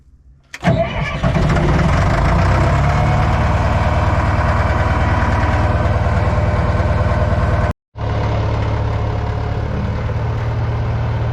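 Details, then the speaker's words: Old Caterpillar 955L track loader, diesel, started after sitting unused for years: brief crank, catches cleanly and settles into a steady, even idle with no misfires or knocks. Normal start and idle. "well I was rather surprised how uh well it started up"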